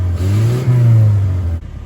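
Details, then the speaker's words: 1981 Dodge Challenger with small four-cylinder engine, revived after years off the road, running on bad old fuel: sluggish no-load rev that climbs slowly, hangs, then drops back; slow, lazy revving, cause uncertain. "even with no load at all this thing is just [Music] lazy it's a tiny four cylinder engine shouldn't it be like Fast revving"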